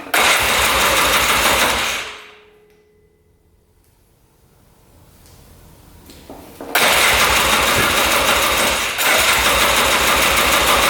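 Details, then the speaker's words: 2002 Polaris Scrambler 400 4x4 ATV, all original, choked on first start attempt; loud single-cylinder run dies within seconds, then hard cranking that won't catch; owner suspects low compression once oil left the cylinder, unconfirmed. "all right looks like it started up there for a second and then died and now won't uh res start"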